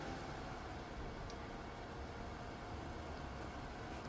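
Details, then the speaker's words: DIY 3D-printed soldering smoke absorber, 12 V 120x25 mm fan turned down via PWM speed controller to reduce noise: steady, even airflow hiss, no rattle, tick or wobble, still extracting well at normal soldering distance; fan healthy. "Як бачите чудово справляється навіть на низьких обертах"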